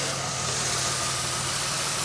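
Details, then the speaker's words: 2003 Pontiac Grand Am after the intake gasket job and the misfire repair, warm, having run for a while: a steady, even idle hum with no stumble or miss; the check-engine light has not returned after revving. "Alright, so it's been on for a while. I've been giving it revs and stuff. Light still hasn't come back."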